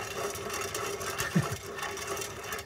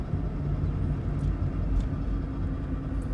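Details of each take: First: 2006 Toyota Prius, 205k miles, CV axle removed from the hub: dry, gritty rubbing rasp as the front ball joint is turned by hand; the joint is badly worn, though it shows no play; a new one is silent. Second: 2006 Toyota Prius, 205k miles, previously grinding and humming (suspected wheel bearings): driving with steady low road rumble and no grinding; bearings sound normal, only rusty brake rotor noise and possibly a slightly loud exhaust.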